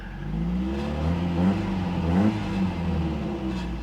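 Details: Toyota truck after fixing a sensor code that had triggered the check engine light at 2500 rpm: engine pulls cleanly up through the revs and settles back twice, smooth and even with no pinging or stumbling; healthy rev response.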